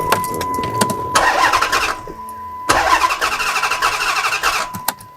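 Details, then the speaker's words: Chrysler 300 engine cranking with fuel pump fuse pulled for compression test: choppy, lopsided cranking with uneven bursts and a gap in the rhythm; cylinder three has zero compression, dead cylinder. "you can hear actually that there's a cylinder down because when you hear when you hear the engine turn over so it's a cylinder down for sure"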